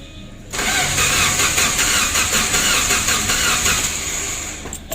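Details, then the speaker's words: Suzuki Carry 1.5 injection with burnt wiring: starter cranks evenly for about four seconds but never catches; check-engine light off, relay clicks, in-tank fuel pump silent, so the ECU is not working. "Tidak mau hidup lor. Masalahnya untuk lampu cek engine-nya ya, itu tidak menyala. Artinya untuk ECU-nya itu tidak bekerja begitu."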